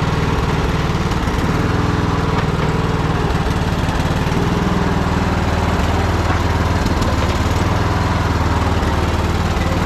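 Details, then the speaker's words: Troy-Bilt Bronco riding mower, unstarted for at least a year, running on old gas after choke start: deep steady even beat, no misses or knocks; runs cleanly, not half bad for sitting so long. "not running half bad for sitting so long."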